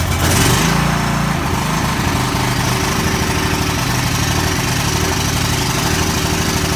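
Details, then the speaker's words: Ferris Hydrowalk 32 mower with a Kawasaki 13 hp 401V engine, built December 2003, on first start after carburetor repair: a steady, even single-cylinder chug with a slight lope and no misses, a bit smoky; normal running. "okay so it's running a bit smoky but it is running okay that gives me great faith in my ability to resurrect carburetors"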